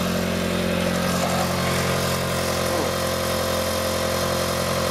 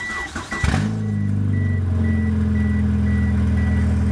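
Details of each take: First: 1997 Mitsubishi Eclipse after repairing a separated flex pipe, recorded in cold weather: smooth, even idle with a steady drone and no puffing, ticking or chuffing; brief steam cleared quickly, little exhaust leak left, system sounds sealed. Normal idle. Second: 1997 Mitsubishi Eclipse with a separated flex pipe that had been patched again and again: after cranking and catching, it settles into a loud, raw idle drone with a chime beeping, as the exhaust leaks at the flex pipe before the repair.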